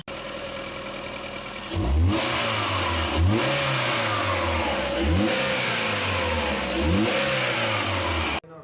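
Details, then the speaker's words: Maruti Eeco petrol with an acceleration complaint whose four injectors did not spray correctly even after cleaning; after all four injectors were replaced, four quick throttle blips rise smoothly and drop back to steady idle with no stumble. "Nala injector മാറിയപ്പോ വണ്ടി ബക്കിയായിട്ട് raise ആവുന്നുണ്ട് യാതൊരു പ്രോബ്ലവും ഇല്ല ട്ടോ"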